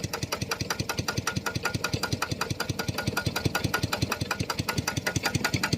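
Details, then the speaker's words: Piston water pump (reciprocating pump) after crankshaft maintenance with oil and grease for a loud knocking noise: steady, even thumps about two and a half a second, no clatter or knock; now runs smooth and quiet. "เดี๋ยวผมจะสตาร์ทเครื่องแล้วก็จะไปลดน้ำตามผักนะโอเคครับผมดังนิ่มมากนะ"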